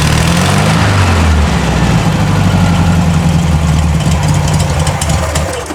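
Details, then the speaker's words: Circa-1960 VW flat-four in a Ford Model T kit car with a replaced carburetor, still on choke. A deep steady chug, with idle rpm rising as it warms, as it should, and no misses or knocks: a normal cold warm-up. "You might be able to hear it in my mic. As the engine's warming up, it's picking up RPM like it should."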